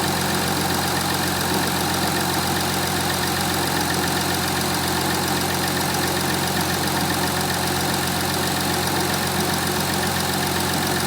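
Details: 2015 Audi A5 3.0 TDI diesel (CKVC, 180 kW/245 PS), cold start after about 24 hours standing: steady, even diesel clatter with no knock or tick standing out; normal factory-spec noise.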